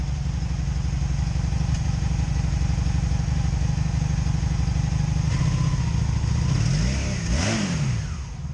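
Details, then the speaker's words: 2002 Honda Magna VF750C being rebuilt, at idle just after a restart while still warming: skipping, uneven idle with small popping on one side, then a brief rev. Misfire; plug gaps to spec, wires look fine, cause not yet found. "you hear it missing hear it a little popcorn popping"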